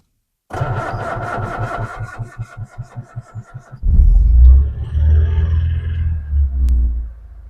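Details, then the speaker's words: 1971 Rover P6 2000TC, stone cold after a week unused, full choke, new plugs and air filter fitted; slow cranking about three seconds, then runs unevenly with an occasional dropped beat: intermittent misfire, better but still not great. "go well it's running there's an occasional Miss it's better still not great"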